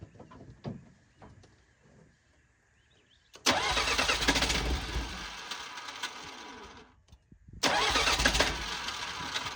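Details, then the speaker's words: Bobcat 743B diesel skid steer bought at auction cranking: two long bursts of fast, steady starter chug, glow plug relay clicking, fuel smelled and white smoke seen, but it never fires; owner suspects glow plugs not working. "I hear the relay clicking for the glow plugs, but I don't it's not it's not firing."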